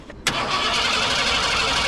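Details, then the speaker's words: 1987 Ford Bronco, off the road about 10 years, fuel rails purged with fresh fuel: starter cranks with an even, regular rhythm and good compression, then the engine fires; brief valve tick fades, suspected exhaust leaks, no misfire. "oh yeah listen to that compression nice smooth crank come on baby there it is"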